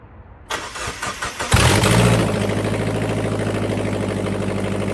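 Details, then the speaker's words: 2000 Mazda Miata NB with old headers removed and exhaust cut off (rusted flange bolts), before fitting new Goodwin headers: starter whirs, engine catches and idles with a loud, raw, crackling pulse. Open header dump, no exhaust. "But we're gonna start the car and see what it sounds like with the headers off. Well, basically a header dump."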